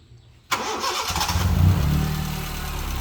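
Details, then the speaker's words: iDSI used car, dry engine bay, fitted with HKS: quick catch then rise settling into even, smooth idle with no vibration; exhaust not smoking. Normal engine start. "Oh maksudnya halus ya temen-temen halus dan juga tidak getar walaupun"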